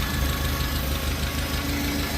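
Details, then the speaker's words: 1950 Farmall Cub tractor engine after rebuild, new muffler, swapped manifold and carburetor: low, even idle, no ticking, misses or smoke, good oil pressure; earlier tick was loose exhaust manifold bolts, now tightened; normal idle. "That carburetor was from sounds quiet. No smoke. Purrs like a kitten."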